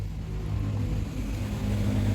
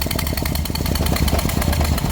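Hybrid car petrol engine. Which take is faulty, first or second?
second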